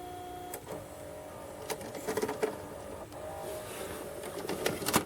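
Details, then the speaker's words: Toshiba 6-head VCR loading an ET tape: quiet whirring with irregular clicks and clunks as the mechanism strains. It is struggling, and the tape is suspected to be bad. "it doesn't like that does it not like this tape sounds like it's struggling oh it's not liking it"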